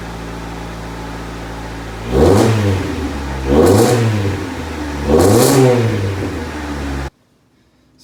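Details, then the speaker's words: 1990 JDM Honda CRX Si EF7 with the dual-cam D16, newly running after fresh oil, spark plugs, a cleaned fuel tank and a new filter: three quick throttle blips that rise and fall cleanly, with no misfire, rattle or hesitation; healthy. "i mean it still sounds great when you start it it's had fresh oil fresh spark plugs"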